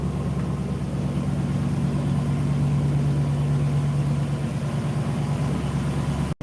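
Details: Carburetted engine idling, heard near the engine bay. Deep, even rumble with a steady low thrum, no knocks or misses. Normal idle.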